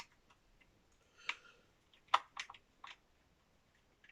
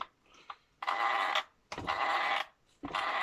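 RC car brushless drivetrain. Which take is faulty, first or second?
first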